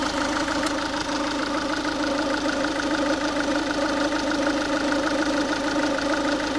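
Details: Ford Focus 1.6 TDCi diesel, warm, idling steadily with an even, slightly harsh rattle repeating about once a second; abnormal noise that only happens when the engine is warm, cause unclear.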